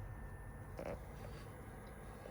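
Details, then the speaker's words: PS4 that was jet-loud and overheating, after replacing old dry CPU/APU thermal paste, tested while running a game: faint low hum with one brief click, fan barely audible. Normal console fan noise after repair. "you can only just hear it he said it would have been screwing his head off by now so i think the problem here we had with this was the issue with the thermal paste"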